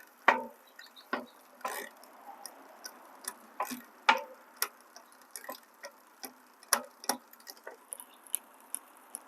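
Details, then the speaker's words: Lectric e-bike, Shimano Tourney rear derailleur with H limit screw turned in too far: sharp, uneven clicking as the chain keeps trying to jump from seventh to sixth gear; backing off the H screw reduces it. "you can hear that clicking sound that means it's trying to jump up that excessive noise what you're hearing is it's trying to jump up to the next gear to the sixth gear"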